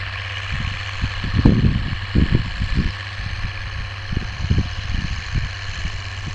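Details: Oliver 1550 tractor, about 54 hp, disking with a JD BW disk 6–8 inches deep after fuel-system contamination cleared: deep, steady diesel drone with even firing and no knock or miss over cab and implement rattle; healthy under load.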